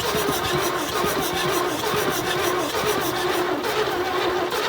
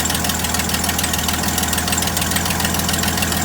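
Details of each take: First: 1972 GMC tow truck sat 22 years, no carb fitted: starter drags over slowly and unevenly, about once a second, never catching; turning too slowly for compression, weak current blamed on undersized cable. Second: 1972 GMC tow truck parked since 2003, first run after sitting 22 years, possibly no thermostat, no blow-by: even idle with a steady pulse, no stumbles or misses; healthy engine, though a small exhaust leak is suspected.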